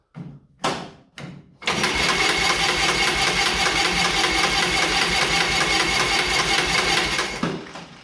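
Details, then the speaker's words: John Deere Model R pony motor, first start after reinstall: short cranking bursts then six seconds of steady fast cranking, about 150 beats/minute, never fires. Owner suspects fuel on-off valve position, unconfirmed. Cranks, no start. "Now I have spark on both cylinders. Everything seems to be firing as it's supposed to, so it might be just the fuel position issue with the on-off valve."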